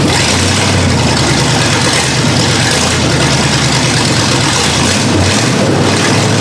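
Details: 1982 Ford Granada after years parked, just after first start with a dry, unprimed carburetor: loud engine with a lumpy, uneven low beat that wavers instead of settling. Carburetor suspected, not confirmed. Rough idle.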